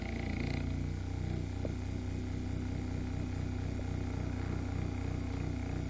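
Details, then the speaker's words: c.1897 Knapp Type D motor after minor repairs and cleaning, running with a makeshift replacement brush. Low even purr, soft steady pulse, no rocking clatter; sounds much better, maybe slight slop; normal running. "sounds much better. Could also be just a little bit of slop in, well. Anyway, it's 1897 motor, and I now have it working"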